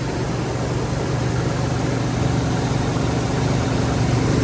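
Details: First start-up of the owner's dream car: steady droning idle with a loose, uneven pulse about four times a second, with smoke coming from a tube and from above; abnormal noise, cause unknown.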